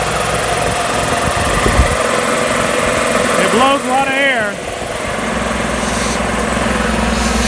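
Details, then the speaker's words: Magna Force air compressor after repairs: a new oiled foam filter fitted and the run capacitors found fine. Motor hum and pump chatter under handling noise settle into a steady run, and the compressor runs. Air is then heard bleeding off, and the gauge is to be replaced. "so I'm gonna go ahead and put all this back together and we're gonna see if it actually pumps the air"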